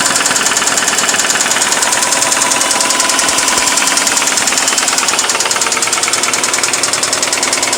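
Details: 2002 Subaru WRX wagon, EJ20 engine with 60k miles, in car about 5 months: loud uneven idle with sharp rapid tap, seemingly from right-side head, started faint and grew louder; idle dips then rises, engine shakes; plugs and timing look normal; owner unsure if rod knock or valves.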